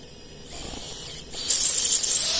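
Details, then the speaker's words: 5-inch FPV quad on 4S, Betaflight 4.1.5, no props, armed and throttled up a little: a high, gritty buzz as the motors jitter and oscillate, grinding until very hot; filters suspected, cause unconfirmed. "okay you don't want to let it do that for too long but you could hear the jittering"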